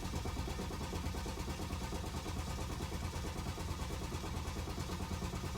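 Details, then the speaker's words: BMW 530d diesel after broken timing chain repair (new timing kit, cylinder head, head gasket), first start attempt with the ignition repeatedly switching itself off: long, steady cranking without catching before it eventually starts. "Okay, I've had loads of problems trying to get the car to start just because the ignition wants to keep turning itself off. I don't even know why. Let's have another go, see if we can get it to crank. Oh, it's trying."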